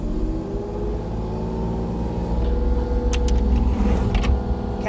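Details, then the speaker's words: 2025 Kubota U35-4 mini excavator, 267 hours, former dealer demo: the small diesel rises smoothly in pitch and settles at a steady, even speed coming up off idle; auto idle feature works as it should. "Auto idle feature works the way it's supposed to."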